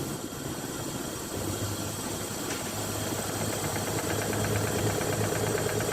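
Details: Toyota Land Cruiser 1FZ-FE engine at idle: fairly regular knock about three per second over the engine note; engine knock, suspected crank/cam bearing or oil pump issue needing overhaul, unconfirmed.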